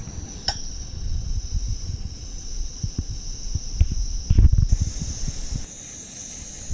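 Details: MSR WhisperLite Internationale 600 stove at full flame boiling a pot of water, near-rolling boil in about five minutes: low steady rushing roar with a thin high hiss and some pot clatter; burner healthy.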